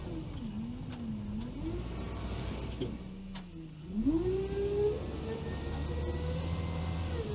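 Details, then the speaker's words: All-terrain vehicle (Veter) fitted with a GAZ-66 transfer case, just shifted from low to high range while driving: engine settles and pulls smoothly with speed, no gear hum; gear whine heard in low range is gone, transfer case runs quiet in high. "Теперь он легко бежит на повышенный и никаких звуков нет."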